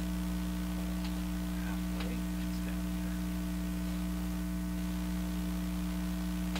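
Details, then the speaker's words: Traynor 8/201 analog mixer under test, microphone on channel 1, sub 1 output raised: constant low buzzing hum with a steady pitch; mains hum on the output, owner pretty sure it comes from the mixer, not confirmed. "Again, all the hum we're hearing is coming out of this guy, I'm pretty sure."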